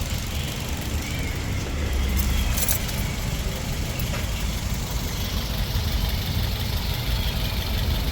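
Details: Toyota 2NZ-FE engine, previously noisy, after the oil strainer was cleaned; a quiet, steady low idle with an even rumble and no knocking or ticking, apart from a brief jingle of handling. It sounds healthy.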